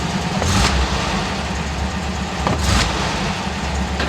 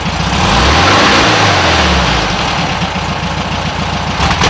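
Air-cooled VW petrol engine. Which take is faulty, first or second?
second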